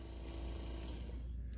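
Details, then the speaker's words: Porsche 944 windshield wiper motor, previously seized, after disassembly, cleaning and rebuild, bench-tested on high, higher and low speed: small electric motor hums with an even whir, no grinding or knocking, working normally. "She works, as you can see, so it's totally doable even if it's in that bad a shape."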